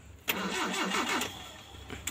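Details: Mitsubishi L300 that several local workshops failed to fix, which will not start; fuel was also found empty. About a second of labored, uneven cranking, roughly five turns, then it dies without catching. Hard starting from misadjusted contact breaker points.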